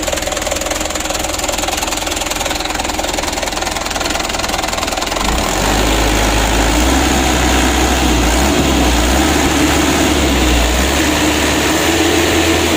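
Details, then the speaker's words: Mitsubishi Canter 136 PS HDL diesel truck after injection pump plunger work, warmed up with adjustment unfinished: lumpy, uneven idle beating about three times a second; pump delivery is unbalanced, with cylinder 3 getting too much fuel. "yang satu sedikit-sedikit yang satu ini nomor 3 ini terlalu banyak"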